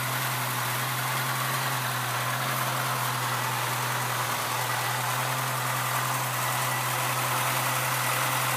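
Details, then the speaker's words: 1976 Chevrolet Chevette 1.4L automatic four-cylinder, just bought, idling: smooth, even low hum with no knocks, ticks or misses; no smoke, runs quiet and healthy. "See that? No smoke. Runs like a champ."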